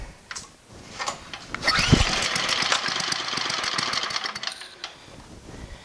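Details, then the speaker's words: Abandoned MTD snowblower with recoil start, primed and run at full throttle on half then full choke; engine catches, sputters unevenly a few seconds and dies; it will not run without choke. "Sounds like it just dies. It just dies when it will not run without choke."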